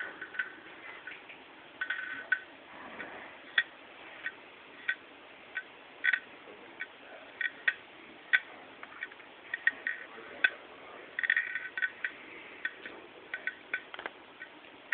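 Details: Late 2008 MacBook Pro, about 8 months old, Hitachi 5400rpm hard drive: sharp, dry, unevenly spaced clicks two or three times a second over faint hiss; suspected hard drive failure.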